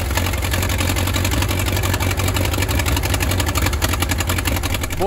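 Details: 1934 Allis Chalmers Model M crawler, 300 cubic inch four-cylinder, 85 years old, long unused, oil leak present, coolant fitting leak just fixed; loud open-exhaust bark, steady even firing without stumbling; running pretty good without muffler.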